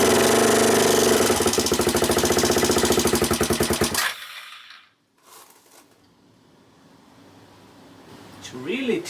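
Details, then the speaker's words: Suzuki GN250 upper engine: quick even ticking about 3.5 per second over idle before cutting out, changed from earlier crunchy sound after valve work; owner suspects valve clearances, also considering cam chain or tensioner; clearances to be rechecked. "so the tickly tongue noise continues i guess it changed a little bit it's now more ticking noise than crunchy noise so i guess the valves are in some sort of roll here"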